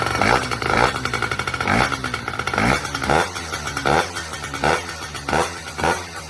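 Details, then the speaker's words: Honda Dio AF34 two-stroke scooter, first start after fitting an Athena big bore kit, engine not yet tightened down: crackly, rattly idle swelling and dipping about twice a second but running on its own. "All right, we got her up and idling. We haven't even tightened the engine down yet, but"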